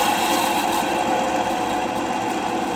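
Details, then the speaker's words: Denford Viceroy pillar drill, Hoover 3-phase motor after sitting a long time, before bearing replacement: steady whirr with wavering squeak from the motor; hardened old grease and dirt made bearings notchy, motor nearly seized. "It runs, but we've got a bit of a squeak coming from the motor. It's probably where it's sat for so long."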